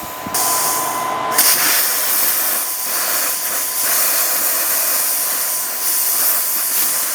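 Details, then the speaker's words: Thermodynamics plasma cutter after replacing faulty 220 V plug with pulled-out wires, test cut on scrap metal: steady harsh hiss with a thin high whistle, even and unbroken; normal plasma cutting. "So it looks like it works. We're back in business with the plasma, which is nice."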